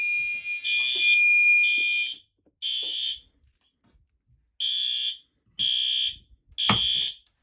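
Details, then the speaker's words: Loud, shrill horn blasts of about one second each, repeating with short gaps, clean and steady, during a fire alarm system test. The horn strobe sounds normal. "Yes, that's a horn strobe. You can see the grill."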